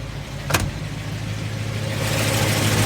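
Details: 1990 Ford F250 5.8L 351W V8 speed density, with upgraded Crane cam and lifters and new springs but original pushrods, shows fast light ticking about three per second over a steady idle; valvetrain tick, possibly from wrong-length pushrods.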